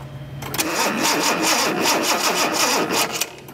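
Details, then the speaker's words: 1976 Datsun 280Z with a fuel-injected engine cranks with a steady starter churn and even compression beats but never fires. It isn't getting spark even though the distributor cap and plug wires are brand new. "it's all off of the same cap which is brand new the so you wouldn't you would think that if one cylinder was getting a spark they all would"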